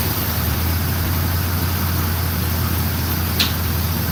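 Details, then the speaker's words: Box van (former food truck) running off an external fuel tank because the original tank's gas looked rusty and wasn't being picked up. Steady idle with a fast, hard, relentless knocking clatter; engine knocking, cause unknown. "So, I got an external tank connected right now. Knocking like crazy."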